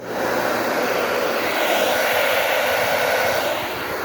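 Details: Hair dryer that rubbed because of excess hair in the fan, after cleaning and gluing: smooth, even airy rush with no rubbing, scraping or rattling; normal running.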